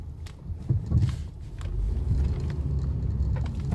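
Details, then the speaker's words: 2010 car driven over potholes near the shop. Dull, loose clunks sound as the wheels drop through holes, over road rumble. The mechanic blames worn sway bar links, not the shocks, and says people often replace shocks without checking first. "escucha un golpeteo no que golpea los dos lados esos son los suele ver links"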